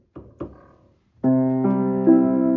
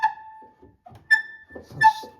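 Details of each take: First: Old Brasted London upright piano after repair: the pedal bolt/screw was moved to give clearance from the wood and tightened. Clean sustained chords with the pedal in use and no rubbing, squeak or thump; the earlier pedal noise is gone. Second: Old Brasted upright piano: three sharp, high squeals with each press of the sustain pedal, caused by the pedal rubbing against the wooden case; noise is unacceptable, before repair.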